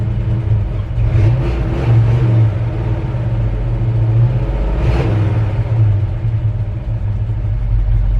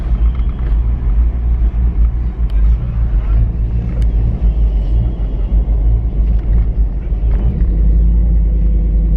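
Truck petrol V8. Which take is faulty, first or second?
second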